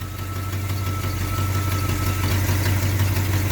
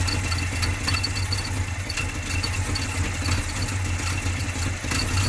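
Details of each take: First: 1980 GMC truck V8 after new MSD HEI distributor install, timing about 8 degrees, idle raised from 500 to 700 rpm: deep even steady idle, no ticks or misfires; healthy. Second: 1980 GMC truck V8 on old early-70s points-style distributor, idling about 458 RPM, a bit low: loping idle with uneven beat as a cylinder drops out; misfire partly blamed on the distributor, later replaced with MSD HEI.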